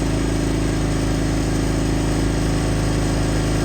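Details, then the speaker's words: Brand-new Pulsar 4000 W gasoline inverter generator, recoil start, first run just after a one-pull start on choke then run: steady, even, super quiet hum with a smooth fast pulse, no misses, knocks or surging. Normal running. "Holy moly, I don't know if you can see how surprised I am. Super quiet."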